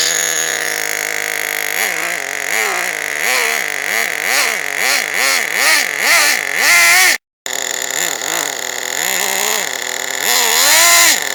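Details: Team Associated RC10GT nitro RC car, first start after slipper clutch work: high-pitched revving in repeated surges that sag and recover about every half second, as if dragging. Owner suspects the slipper clutch is too tight or slipping.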